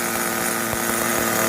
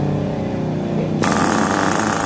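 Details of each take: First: New VX18 nitro engine in an RC car, second tank of break-in: high buzzy note running uneven and slightly ragged because the new engine is still tight, smoother than the first tank; normal break-in roughness. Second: New VX18 nitro engine in an RC car, third break-in tank, throttle/idle raised after it started low: catches and holds a steady high-pitched buzz without stumbling, smoother than earlier tanks; normal idle.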